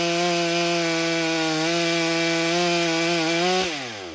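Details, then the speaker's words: Stihl MS661c chainsaw rebuilt with a forged Wiseco piston, first tank on 40:1 mix, 32-inch bar in soggy poplar: steady high buzz holding pitch through the cut, dipping slightly under load, winding down cleanly; cuts nicely, though some bogging was noticed. "right, first impressions. I believe that does pretty nicely."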